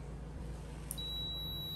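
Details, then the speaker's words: Kyoritsu digital clamp meter continuity buzzer test, compared against a Fluke: a faint, thin high beep over low room hum, barely audible. The buzzer is weak and very slow, judged very bad. "Very slow. Very bad. Keiretsu bad. Buzzer tak bagus. Slow sangat."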